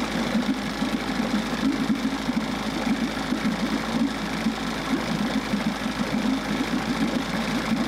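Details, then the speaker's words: Steady, even two-stroke putter with regular low beat, no misses: 1994 Johnson 6hp outboard idling smoothly with thermostat removed, running much cooler and pumping good water; thermostat to be replaced. "Much cooler now, so I think I just need to replace that. I'll order that. Pumping good water. It's actually idling really good too."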